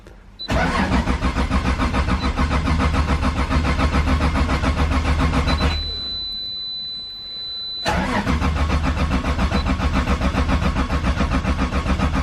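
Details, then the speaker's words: Toyota Supra with a 2JZ engine: steady starter cranking at about three and a half beats a second that never catches, pauses, then cranks again; no fuel pump click heard at key-on, so a fuel pump problem is suspected; crank, no start. "I don't think it's gonna start oh it's not starting fuel pumps are turning on though"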